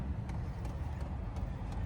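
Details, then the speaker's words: HCalory TB2 Toolbox 2 all-in-one diesel heater, freshly fuelled with diesel, filtered fuel hose and temporary exhaust setup, first startup: faint light ticking about three times a second over a low rumble as the fuel pump primes normally. "And it's priming, I believe."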